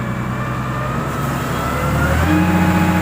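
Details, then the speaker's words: Komatsu GD511A grader diesel, low-power complaint, hydraulics re-set to about 2250 PSI (15 MPa) relief at idle: engine climbs and steadies under throttle with firm, even tone while lift plate held at relief, pressure rising with throttle; normal loaded pull. "Nah itu reliefnya sekitar 2250 ya teman-teman ya, atau 15 MPa ya teman-teman ya. Nah ini posisi tidak digas ya teman-teman."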